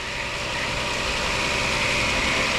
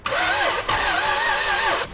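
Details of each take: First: IS300 with 2JZ engine, first start after fresh Castrol oil and filter, bell housing dust cover had been sucked into flywheel: steady even idle hum and hiss, no knocks or misses; running smoothly, only power steering leaking. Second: IS300 with 2JZ, first start attempt after an oil fill, with fuel and a charging battery: labored, uneven slow cranking that drags and never catches. The owner wonders if it is seized; the bell housing dust cover was found sucked into the flywheel, binding.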